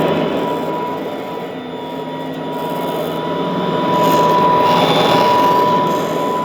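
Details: Vintage all-metal Royal Model 153 vacuum, owned 22 years, 3-amp bushing-style motor; smooth, unchanging quiet drone with clean steady pitch and faint light rattle underneath; normal running.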